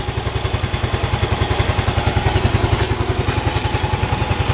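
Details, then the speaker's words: Yamaha Mio M3 (Mio Z) scooter at 17,600 km, just refilled with fresh Shell AX7 Matic 10W-40, healthy despite excessive oil consumption (~0.15 ml/km over 2,000 km): starts easily, even low putter at idle, no ticking, knocking, misfire or smoke. "Dan ini masih normal banget teman-teman. Starter gampang, bunyinya halus, ya, dan nggak ngebul."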